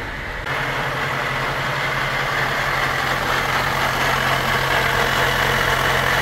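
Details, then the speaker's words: Honda Element cruising in fifth gear at about 30 mph and 1100 rpm: a steady low transmission hum under road noise. The hum is absent in second gear at 10 mph and the same rpm, and the transmission is leaking oil. "se escucha ese ruido en la transmisión ahora la tengo en segunda aproximadamente 10 millas por hora igual 1100 y ahí no se escucha el zumbido"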